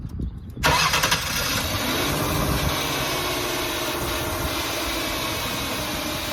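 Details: 2005 Ford Taurus right after ignition coil replacement, first start: quick crank, then the engine catches cleanly and settles into a smooth, even idle with no misfire or stumble; running healthy.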